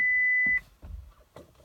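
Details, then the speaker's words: 2012 Chevrolet Volt after 12-volt battery replacement, brake held, shifting: one steady high half-second beep, then only faint cabin noise; car won't start or go into gear, shows battery dead, won't charge; cause unknown. "park nothing happens and then if I had the power button again to like shut it off it does the same thing again so I'm not sure what to do here"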